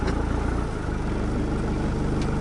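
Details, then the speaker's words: Rebuilt diesel truck just started after 8–9 weeks of work: idle drops in pitch, then settles to steady beat as air-con compressor cuts in and out, pulling the injection pump rod; normal idle change. "Aircon. Old school. You don't just fucking keep a steady idle. It fucking cuts in and out."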